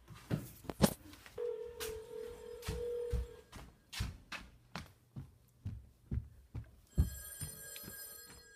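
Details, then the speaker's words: A home PBX calling itself over C*NET through a PAP2T ATA inbound gateway. Repeated ring bursts at a steady mid-pitched tone with short gaps and some clunks. The line rings normally and stops after four rings, possibly going to voicemail. "you can hear we are calling ourselves through this inbound gateway and after four rings it stops"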